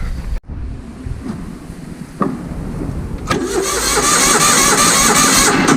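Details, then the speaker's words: Vintage Hydra-Mac mini skid steer with a points ignition, bad starter button, known oil pressure: steady starter churn around three turns a second with no catch; engine cranks but won't start, owner suspects carburetor, coils, plugs or ignition switch wiring. "We know it turns over, know it's got oil pressure."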